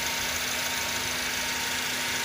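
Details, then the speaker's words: Engine idling after replacing the belt auto tensioner that rattled when AC was on, AC still off: smooth even idle with steady hum and no rattle or chirp from the belt side; engine running normally. "and the sound is okay if the sound is normal right now the AC is not on yet so you can see the Palms the fans aren't running"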